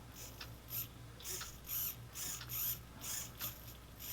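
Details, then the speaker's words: Brand-new model airplane servo driven by a servo tester: short, even motor whirs repeating about once a second as it sweeps back and forth, with no grinding or skipping; normal servo operation. "you can see the servo move now now this is brand new servo so it's has absolutely absolutely no problems"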